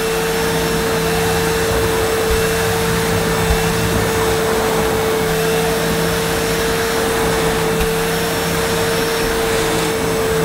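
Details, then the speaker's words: Early-1990s Hitachi CV-790 Powerhouse bagless vacuum pushed over carpet: steady, even motor whine with a constant rush of airflow, no pitch wavering or rattles; pleasant to use and running normally. "It's not too bad though, not like some. Yeah, it's quite pleasant to use, quite comfy, a nice operating height."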